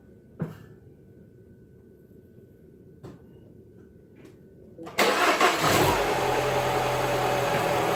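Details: 2011 Mini Cooper after repair of a failed plastic coolant tube at the back of the engine: a few faint clicks, then cranks, catches near five seconds and settles into a steady, even idle; starts and runs normally.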